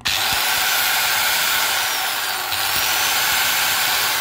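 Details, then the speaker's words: Hitachi angle grinder after replacing the bearings; a steady high-pitched whir at constant speed with no rattle, knock or gear chatter: normal, smooth running. "normal sekali suaranya halus baik laker maupun mekanisnya dari pion gear sudah tidak bersuara"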